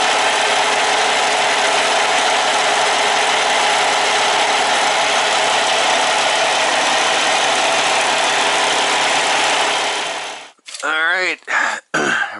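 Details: Kenworth T680 diesel truck just fired up after an oil and oil filter change, oil pressure coming right up: dense, even diesel clatter holds steady for ten seconds with no misses or knocks; healthy idle.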